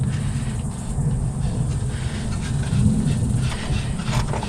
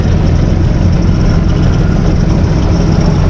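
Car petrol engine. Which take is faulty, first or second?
first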